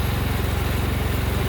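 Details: Cub Cadet 1000 garden tractor, single-cylinder, in second gear under mower drive load: steady, even thumping beat with no knocking or hunting; normal running.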